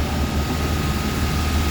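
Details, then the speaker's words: Westerbeke 33 marine diesel on a sailboat after hydrolock recovery and three oil changes: steady, even low idle thrum with no misses or knocks; starts right away and runs smoothly, though owner suspects the alternator is overcharging. "So, the engine started right away. No problems."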